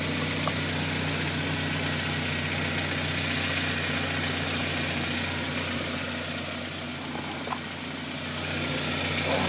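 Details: 1999 Toyota Tacoma, 2.4 L inline four-cylinder, about 60,000 miles, after fuel filter and starter replacement: steady, even idle with smooth low hum, no misses or knocks; running normally.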